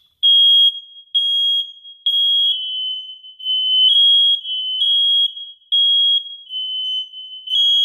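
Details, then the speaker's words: Hardwired 120 V smoke detector with interconnect (red) wire connected, upstairs unit set off manually: piercing high beeps in uneven overlapping bursts as the downstairs unit sounds too; interconnected alarms test. "when I set off the alarm you'll hear that simultaneously the alarm of the smoke detector downstairs will start to alert and sound as well"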